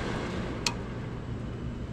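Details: HVAC demo with a current switch sensing the blower, which then enables the heat strips via a relay. A steady low rush of the blower with a crisp click as the heat relay coil gets 24 volts: normal operation.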